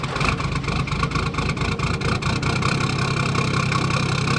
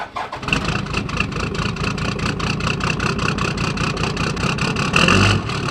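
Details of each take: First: Toyota Landcruiser 1HD-T diesel, 445,000 on the clock, cold morning start after injector rebuild: catches and settles into steady, even clatter with no stumble and no white smoke; normal cold start. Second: Toyota Landcruiser 1HD-T turbo diesel at 445,000 mileage, cold start before injector rebuild: cranks into an uneven, lumpy idle with irregular knocks and surging revs. The rough start is worst under load uphill.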